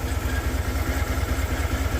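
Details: Cadillac Escalade 6.2L V8 at about 45,900 miles, stalled on the roadside at 22°; the engine still has oil. A heavy, regular low knock at idle, several per second in step with the engine, indicating engine failure; the source of the knock is undetermined.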